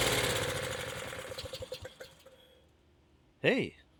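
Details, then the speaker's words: Honda HS520 four-stroke snowblower on fuel poured in by hand: fires fast, slow uneven beat, dies within two seconds; only runs when primed because the throttle/choke linkage cap is stripped. "So yeah, that's why it won't start for anybody was it would only start when I primed it. That's exactly why you would throw it away. So really the inside of that black cap is basically stripped out."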